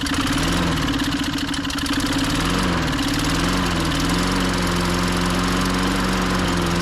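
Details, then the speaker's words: 1998 Ariens 21-inch mower (engine VLV60) after a carb change, the secondary carb having been suspected of starving fuel: the speed hunts up and down, then it runs rough and stalls, sounding like spark cutout. Compression was 115-120, spark was lost, and the new coil was suspected. "that's not me shutting it off it just di sound like spark cutout this thing just won't quit giving [Music] issues man"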